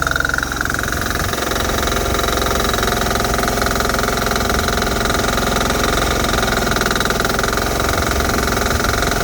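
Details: Bolens HT-23 tiller, hot and idling, with loose bolts letting the unit slide side to side: fast, uneven metallic chatter about three times a second over the engine beat; loose exhaust or mounting rattle, with a whine and a leak also noted.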